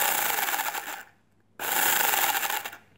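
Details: Airsoft gearbox (Ares/Star SA80) partly reassembled with new gear after failure, battery reconnected, micro switch touched: two short bursts of fast high whirring and gear rasp, cutting off cleanly; gearbox cycles and works, shims still need sorting.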